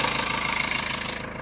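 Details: 2.2 L Ford Transit common-rail diesel after replacing the high-pressure pump's fuel metering valve: steady, even idle clatter with no hunting, surging or missed beats.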